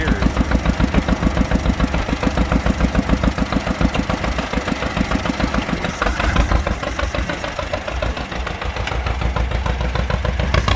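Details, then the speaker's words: John Deere B, revived after 30 years, pull started, adjusted: strong, regular two-cylinder putt about three and a half pops a second, even, deep enough to feel in the chest; healthy idle. "listen to that thing it sounds uh rather mean if you were here you can feel it in your chest"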